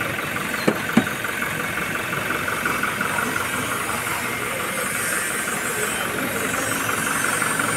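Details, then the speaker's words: Toyota Hilux 2GD diesel (2019) idling after repair for a noisy timing chain: steady, even clatter with no chain slap or rattle, no warning lights; runs smooth and healthy before test drive. "So yung andar ng engineen ay parang brand niyo talaga. So patakbuhin muna natin to saglit tapos check natin ulit."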